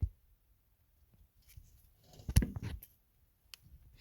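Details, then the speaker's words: CAT D4 starting engine, stopped, flywheel rocked by hand: a few dull low thuds from slight crankshaft end play, judged not bad and able to run a while. "it's hard for me to do that but that clunking you hear that fly wheel is it's got m playay in it okay or the crankshaf doeses on the on the starting engine it's not bad"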